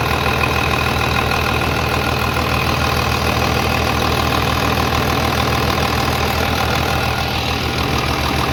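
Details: 3588 at 7,338 hours, idling on a freshly rebuilt engine with new cylinders and pistons; steady, even clatter with a smooth low beat, no knocks or misses, very quiet; a slight line leak was found, to be tightened; normal diesel idle.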